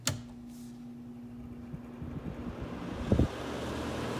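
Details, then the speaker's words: 2014 Frigidaire air conditioner on low fan after fan motor swap and deep cleaning, previously noisy bearings: soft steady low hum, no rattle or bearing whine; normal fan running. "listen to that do you hear anything from that thing nothing sounds so quiet nothing happens anyway"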